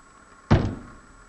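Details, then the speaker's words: Front-suspension clunk over bumps on a VW Golf/Bora/Jetta: a single deep, hollow knock from worn front anti-roll bar bushes, whose rubber has hardened and worn in the centre so the bar moves inside the bush. "you hear a clunking noise like that chances are it's the front anti-roll bar bushes that have worn and need replacing over time the rubber hardens and the center of the bush wears so that the anti-roll bar can move around inside it which you shouldn't do and that causes the clunking"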